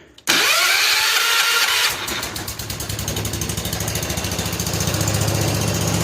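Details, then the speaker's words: 1970 John Deere 140 H3 garden tractor, cold start with fresh gas and no choke after freeing its rusted levers: a short whirring crank, then a quick, steady single-cylinder putter. It starts readily. "I've just put gas in it. Maybe it doesn't need choke. Let's try it."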